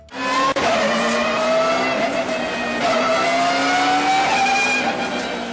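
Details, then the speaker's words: Race car with straight-cut gears pulling hard: loud, tuneful gear whine climbing in pitch, caused by the large contact patch of straight-cut teeth slapping each rotation; normal, same as manual reverse-gear whine rising with revs. "that noise due to the large surface area of the contact patch between the gears which slaps off each other with each rotation"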